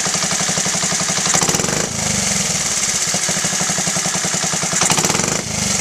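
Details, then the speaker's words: Honda Z50A after carburetor clean and rebuild, pilot screw set to 1.75 turns: quick even popping single-cylinder idle, two throttle blips settling right back; smooth and steady. "That actually sounds better. 1.75 is where I'm going to leave it for now."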